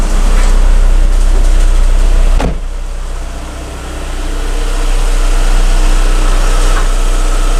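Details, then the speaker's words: VW Bora 1.6L petrol (AKL/AEH engine), first start and idle right after a timing belt replacement, clutch pressed: low, even idle with a steady beat, no ticking or slapping; engine sounds healthy, normal idle. "This is always a nervous moment when you have swapped a timing belt. Okay. Oh yeah, press the clutch maybe. Sounds good."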